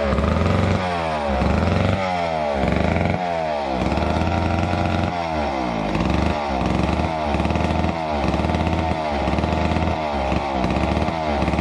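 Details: Neglected old McCulloch Super 250 two-stroke chainsaw revived: crisp buzz with repeated throttle blips and steady return to idle; runs smoothly and sounds healthy.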